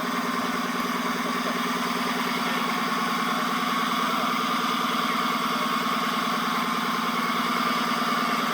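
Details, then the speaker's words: 2014 Dodge Charger Pursuit 5.7L HEMI, 5-speed automatic, 116,000 miles, heard inside the car with no console or carpet: steady drone with a thin squeal from the driveshaft tunnel after driving through heavy rain. Carrier bearing suspected, U-joint now believed. Driveline screech. "right here is where I suspect the nois is coming from is that uh carrier bearing right there but it actually uh turns out I believe the noise is actually coming from that U joint"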